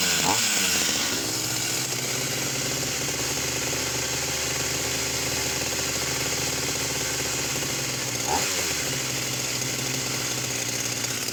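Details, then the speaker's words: Vintage Husqvarna 44 chainsaw, just un-seized: buzzy two-stroke on a high, slightly wavering note with blips; it floods when the high needle is touched and cuts out and backfires off throttle; carburettor fuelling problem suspected. "The minute I take my finger off, it will cut out and it will start to backfill."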